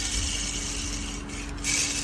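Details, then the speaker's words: Tata Nexon fuel pump on bench: dry rough rasping grind as shaft turns; bearings all worn/cut, car starts fine but makes loud noise from these bearings; to be repaired. "लेकिन गाड़ी के अंदर बहुत ज्यादा आवाज है वो इस बेरिंग की आवाज है ये वाली आवाज बहुत ज्यादा ए रही है"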